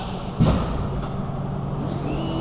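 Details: CNC mill during a dry-run program prove-out after the change to tool 1: single thud, then smooth servo whine climbing in pitch as the axis rapids toward the part in the air; normal.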